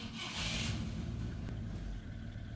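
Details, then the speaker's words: Old car abandoned in a shed, just push-started: engine catches and runs ragged and uneven, stumbling and surging at low speed; rough-running, cause not known. The car also has no brakes. "I got it I mean it sounds like an absolute nightmare but hey at least we got it started right"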